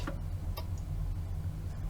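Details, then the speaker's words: Commodore Amiga 1000 at its first power-up during restoration. Sparse, sharp clicks over a low steady hum as the disk spins; this is the normal, healthy floppy drive ticking while it checks for a disk. "this machine actually works fantastic and i hear the familiar ticking of the floppy drive checking for disk"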